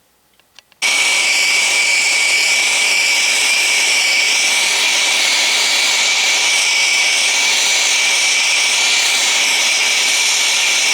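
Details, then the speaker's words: Press torch that uses no oxygen, only mixed air, slowly bringing a height-gauge steel part to red heat and soaking it before an oil quench: loud, steady, swirling roar with no sputter; the torch burns normally. "Now, once I light the torch, it's relatively loud, so I cannot speak any longer. It's that swirling noise of a press torch that that uh causes that noise."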